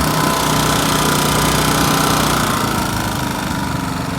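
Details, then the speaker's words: Champion 100302 4000-watt RV inverter generator, open frame, on non-ethanol gas, switched into eco mode: steady busy engine drone with a fast even patter, settling slightly lower near the end; normal eco-mode idle. "These are eco generators because they're inverters. So you can turn it on eco mode check this"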